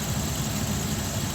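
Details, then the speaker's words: 2004-2006 Dodge Durango 5.7L after replacing a noisy, overheating alternator with a unit from a 2008 Ram: smooth, even idle, steady low rumble, old noise gone, no whine or rattle; charging over 14 volts; normal idle. "okay so it definitely stopped all that noise that was going on and there's a lot of excess heat coming off of that old one as well"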